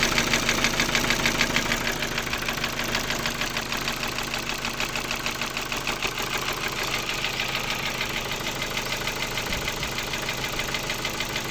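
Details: Ford Focus 2, 1.6 115 hp engine at steady idle: sharp, regular tapping about three times a second riding clearly over the engine, a distinct knock in the engine at idle.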